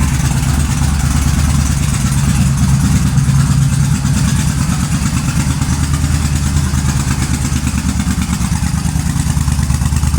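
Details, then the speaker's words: 2005 Suzuki Boulevard S83 V-twin motorcycle, idle after sitting about four years, with cleaned carburetor and rusty tank rinsed: a lumpy, even idle thumping about three times a second with no misses or clatter. Healthy idle. "well it's running she sounds pretty damn good especially for sitting for about 4 years"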